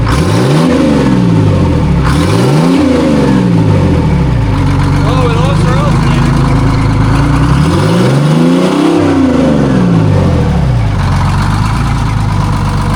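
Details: Detroit Diesel 6-71 two-stroke in a vintage cabover semi, Jake brake test: revs climb and drop repeatedly, with a hard, deep bark as it slows; engine brake working as it should.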